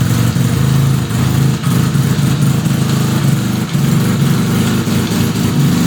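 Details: 1975 Suzuki RE5 rotary motorcycle just after full restoration, engine running: busy mechanical whir and clatter underneath; abnormal transmission noise, cause unknown.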